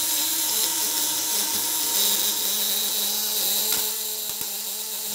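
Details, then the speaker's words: Contact-breaker (platina) fish shocker with 1 kg spool, 200–500 W, on 24 V, tension raised by turning right: a high, even buzz holds a steady pitch with no dropout; stable contact vibration. "Getaran platina stabil, ini udah mulai kencang nih."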